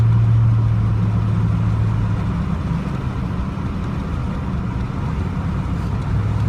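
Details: 2000 Chevrolet Z71 5.3 truck driving after being run in 4Lo for over two hours; low steady drone fading in and out under road noise, no reverse or 3rd gear. Damaged automatic transmission noise.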